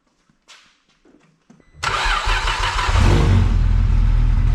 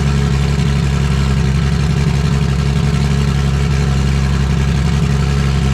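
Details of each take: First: Vauxhall VXR project car after engine install, pipe refitted: a few seconds of cranking, then it catches cleanly and settles into a steady, even idle with no misses; running nicely now, healthy. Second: Vauxhall VXR project car at first start after engine install: loud, deep idle with an uneven, lumpy beat instead of a smooth hum; running rough because a turbo pipe was left off.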